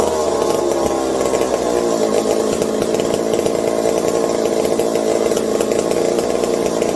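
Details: McCulloch 740 two-stroke chainsaw after coil gap fix and swapped spark plug replacing flooded one: crisp steady buzz holding even pitch without stumbling or surging; linkage holds about quarter throttle, owner fears lean running/air leaks; normal running.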